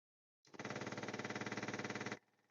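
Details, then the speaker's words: 1966 Dodge Charger 318 Poly with newly installed electric fuel pump and block-off plate, key on before cranking: rapid even ticking about twenty clicks a second for under two seconds, then stops as the carburettor bowl fills; normal priming. "you should hear and then you should hear a totally different sound that's going to let you know that the fuel pump is is uh pressured and it's going to tell you that that bowl is full of gas"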